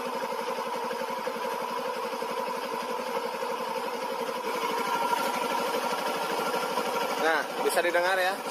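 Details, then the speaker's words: Old first-generation Yamaha Jupiter MX with a rough clutch-housing noise, after reassembly: even, steady single-cylinder idle, smoother than before. The noise returns the same when the clutch is pulled. "suara mesinnya masih menjadi lebih halus dari awal-awalnya"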